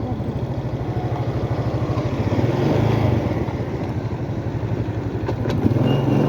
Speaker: Como vocês puderam ver aí, isso aí foi o barulho que o motor, pelo menos o motor da minha moto tá fazendo, né?